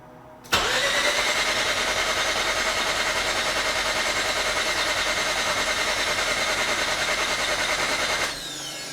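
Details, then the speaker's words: Mazda RX-8 race car with a newly installed JDM Renesis rotary engine, first start attempt with fuel disabled (fuel relay and pump fuse pulled). Starter engages sharply and spins the engine evenly for eight seconds without catching. Starter working fine. "sounds like the starter is working good which is nice and all the rest of our stuff is on at least here"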